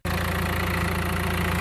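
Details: 2016 Mercedes A-Class idling steadily with a smooth low beat and no rattle or chatter, during clutch and flywheel work after the clutch disc was found still good; normal idle.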